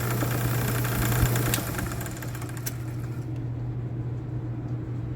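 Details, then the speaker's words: Old buffing wheel arbor after machining a new shaft and hand-scraping its bushings to fit; steady low hum with even pitch and no rattle, grind or knock, running smoothly and quietly. "I can actually carry on a conversation while that thing's running now"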